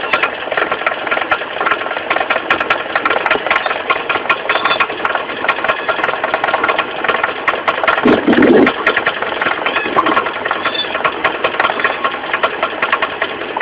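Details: 4G15 carburetor engine at idle with an uneven knocking rattle, about two to three per second, low at the front from the loose crankshaft pulley. The pulley was not replaced; the knock was fixed by tightening it.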